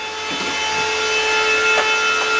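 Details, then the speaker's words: Bitmain Antminer S21 XP air-cooled Bitcoin miner after about 24 hours mining, recorded close enough to leave ears ringing: loud, steady high-pitched whine with several layered tones held constant; cooling fans running flat out, normal but very loud. "yeah this thing oh my ears my ears are ringing it's it's very"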